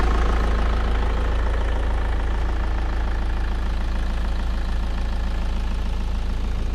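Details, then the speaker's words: Audi Competition Quattro (about 200 kW on dyno), third start attempt on jump cables as the battery is likely flat from sitting: engine turns over steadily, low and even, about three beats a second. "Kui eelmised 2 varianti ei toiminud, siis nüüd see 3. katse peaks ikka õnnestuma. Proovime järgi kohe."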